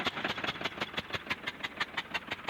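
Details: Diesel tractor with a nozzle removed and mounted outside: sharp uneven ticks about six a second, lumpy as if firing on only some cylinders; the nozzle is not spraying despite diesel reaching the pipe, mechanic suspects a jammed nozzle; misfire.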